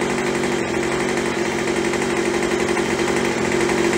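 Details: Craftsman (MTD) B2000 two-stroke blower after carb cleaning, carb kit and throttle trigger fix, idling about 2800 rpm while warming: steady, high buzz with no surging or misses; normal running.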